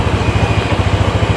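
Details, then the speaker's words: Honda Vario 125 after routine service, idle adjusted to 2.5 turns to fix ISS not working properly: steady low putter with even firing pulses, no misses or knocks; normal idle. "Coba kita nyalakan. Jadi harus digas langsam dulu ya. Nah, ini udah normal."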